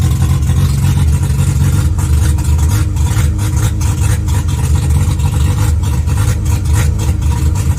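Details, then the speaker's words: Mazda RX-7 12A rotary, cold and choked, exhaust sounding unmuffled: deep, loud, choppy burble with rough low pulses, like open headers; owner questions whether the exhaust works at all. "Is the exhaust functioning at all? It sounds like open headers. It sounds extremely open."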